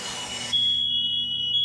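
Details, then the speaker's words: New-home final inspection demo: releasing sprinkler pressure trips the interlock, so all interconnected smoke alarms sound together with a continuous high, piercing electronic tone; system working. "What's going to happen is the fire alarms is going to start setting off within the house. And because they're all connected, all the fire alarms within the house will go off at the same time."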